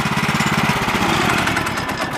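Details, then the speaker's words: Woodland Mills HM130 Max sawmill with Kohler engine, first start of the year, oil full: even steady putter at roughly fourteen beats a second, no misses or knocks, running good; normal running. "All right, she's running good."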